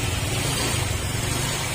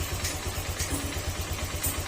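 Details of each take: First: Honda Click 125 V3 scooter, fuel-injected: low, even putter at correctly set idle (not below 1,500 rpm), smooth with no misses or knocks; correct idle said to protect camshaft. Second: Honda Click 125 V3 scooter, engine already rebuilt but still noisy: quick regular light knocking over a low idle pulse, louder when the engine is hot; attributed to idle set too low and the air-fuel mixture not tuned. Engine knocking at low idle.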